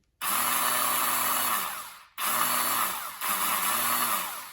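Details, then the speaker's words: 1991 Kawasaki Ninja 500 bought non-running with a trashed wiring harness, after rewiring: three free, smooth whirring spins that wind down with no cranking or compression rhythm. Starter spins without engaging; owner unsure whether it spins backwards or is stuck. "we got the uh starter to spin over it doesn't engage I don't know if it's spinning backwards or forwards or if it's like stuck or what"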